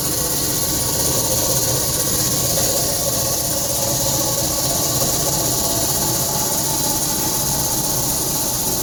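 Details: A home air conditioner runs with a loud, steady droning hiss that never lets up; a contractor blamed the motor, but this is unconfirmed.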